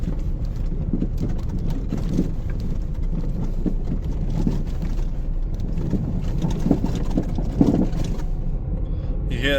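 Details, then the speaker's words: 2018 Ford Fiesta driven over a rough dirt road; steady road rumble with a couple of sharp metallic bottoming-out clunks over bumps; owner suspected engine mount, source still unconfirmed. "the end there? That little shutter. The slight metallic bottoming out sound."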